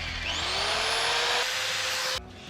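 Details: Returned Harbor Freight tool plugged in for a test run: the motor spins up to a steady high whine that holds even, then cuts off cleanly, with no grinding; it runs normally.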